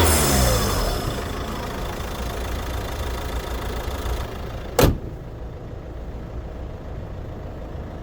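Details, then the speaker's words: 2024 Peugeot 508 GT 1.5 BlueHDi 130 diesel, EAT8: loud, busy clatter at cold idle, audible even in the cabin, quieter once warm; normal diesel clatter on cold start. "if you heard the engine loudly it rattles and even in the cabin you can hear it especially when starting cold Once the engine warms up, it is a bit quieter"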